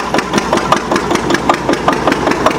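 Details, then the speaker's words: Antique Witte 12 hp single-cylinder diesel genset, 8 kW generator, just cold-started: sharp regular thumps about six a second, steady and even, running fast before the governor settles it; normal. "But there you go. You see, it's actually running pretty fast. It's going to slow down."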